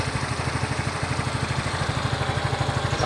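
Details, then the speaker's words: Yamaha Mio i 125 (M3) after rocker arm replacement, test 3: steady smooth low chug about three pulses a second, no valve tap or clatter; idle clean and stock, rocker tick gone. "Wala na si Kalansing. Test number 3. Sobra tahimik na ngayon ang"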